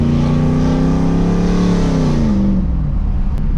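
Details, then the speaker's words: Chevrolet Z28 V8 on a second, less aggressive tune, idle air control unhooked, pulling cleanly under load with a steady even rumble; earlier popping and running badly were gone, the problem was all in the tune/software. "I think we're gonna get this now, because you hear there's no popping, there's nothing going on anymore. Hear it? Smooth as can be. It was all in the tune, all in the software."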